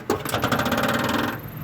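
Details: RV ceiling vent fan, filter removed: fast, even mechanical chatter over the motor whir as the fan wobbles up and down while spinning; owner suspects it is loose or needs lubrication, not confirmed.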